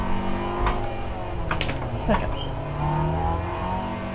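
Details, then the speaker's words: Manual-transmission car driving through the gears: short harsh grind mid-shift because the clutch was released too soon before the gear engaged; gear grinding from releasing the clutch too early, which also burns out the clutch. "heard that grinding, that's because I let go of the clutch too soon."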